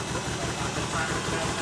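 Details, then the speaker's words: 2JZ-swapped Toyota van revived, owner suspects bad gas, fuel pressure gauge read zero: steady idle with regular low thump about six times a second and slight unevenness, misfire easing as engine comes alive. "It's not misfiring as bad now. Right, yeah, she's coming alive."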